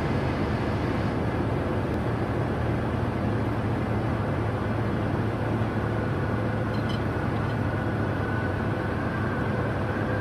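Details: Light training aircraft slowing with power reduced: airflow and propeller rumble fade, then a thin high whistle creeps in and holds; stall warning sounding as the wing approaches stall.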